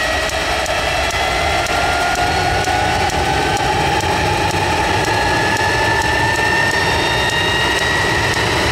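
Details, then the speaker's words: Jet truck turbine, first start after winter, fuel pump worked on and clogged fuel filter cleaned: steady roar with clean tone slowly rising as it spools up, smooth and strong; runs better than ever, normal turbine run. "That looked pretty good to me. Actually, it's run better than it ever has, cleaning that fuel filter out."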